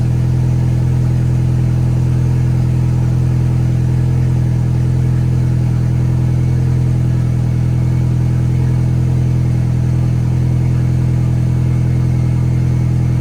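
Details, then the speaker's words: VW 1.8T first start, after correcting cam timing to 16 rollers (was 17): steady even idle hum, no stumbles, a little oil smoke burning off, tiny noise; runs smoothly, no misfire. "holy idling perfect a little bit of smoke burning off from some oil there but it's like has a tiny bit of a noise the man runs way better goalie not a single misfire"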